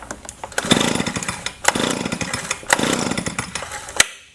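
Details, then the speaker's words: Leaf blower, stored a while, after spark plug replacement: sharp pull-cord rasps about once a second, four tries, never catches; tank found empty, no fuel suspected as the cause. "still no start and the last thing that you want to check if your Le blower does not start especially if it has been stored for a while as the gas level as you can see in there there is no gas so I assume that's probably the problem"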